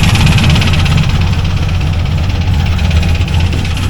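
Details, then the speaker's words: C4 Corvette: a rough idle with an irregular low rattling knock under the engine note. The rockers were checked and are okay, and it is unclear whether the noise is from the engine or the transmission; connecting-rod damage is suspected. "I checked all the rockers. They're okay. But what I can't tell is if it's in the transmission or something."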